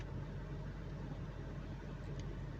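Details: 2005 Lexus 430 with check engine and traction lights on, customer reports missing and jerking on the road; scanner shows code P0306, misfire on cylinder 6 only. Quiet low idle with an uneven stumble, one cylinder missing; coil or plug to be checked.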